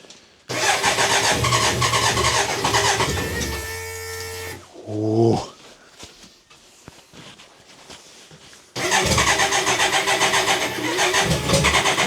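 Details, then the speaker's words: BMW K100 after fuel pump replacement, fresh fuel added, in garage: rapid starter churning, brief rising flare as it nearly fires, then quiet; cranks but won't start, owner suspects a ground has come off again. "it's not far in for some reason can't hit a pump fire for whatever reason I think the ground has come off again"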